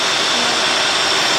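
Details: 2003 Cadillac DeVille 4.6, warmed up, surging idle, codes P0300, P0171, P0174, P0101, P0404: loud steady airy hiss over a slightly rough idle, worsening when put in gear. Vacuum leak, intake manifold gasket suspected.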